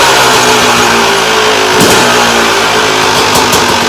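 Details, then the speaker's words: 2001 Yamaha YZ250 two-stroke during rebuild, picked up in rough condition (horrible air filter); crisp rapid revving climbing cleanly without stumbles or misfires, sounding much better than before; normal two-stroke revving. "all right so I think she's sounding a lot better than she was before"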